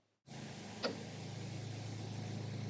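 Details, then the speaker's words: Vehicle A/C after installing a new compressor and clutch to fix an electrical fault, compressor commanded off then on: one crisp click as the clutch pulls in over steady engine idle; clutch engaging normally. "so now when you see the command going off and then on you can actually see the compressor clutch engaging and you can hear it as well"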